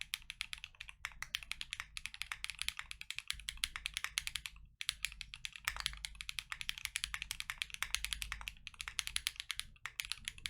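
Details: KNC Keys Tofu Linear (R2) all-nylon long-pole switches, lubed, Freebird60 with gummy O-ring mount, POM plate, silicone dampener and polyfil: fast full typing test, soft muted clacks, no spring ping or scratch. Normal keyboard typing sound.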